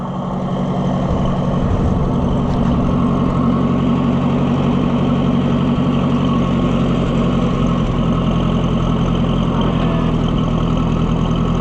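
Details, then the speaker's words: Oliver 550 loader tractor, long abandoned with a dirty carburetor, just started: low, lumpy idle with stumbles, close to stalling and missing; owner says pulling the choke helps; rough idle, cause not confirmed. "Are you gonna die? You gonna die on me, baby doll? Sound like you are. Why are you sounding like that?"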